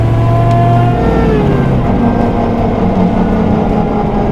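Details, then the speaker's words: Supercharged rat rod tow truck, NP203 doubler/transfer case whine while driving in high range after an adjustment attempt: steady tonal whine over road and engine noise, still present but quieter than before; owner suspected a bearing. "definitely can hear it still still hear it but it doesn't sound as bad"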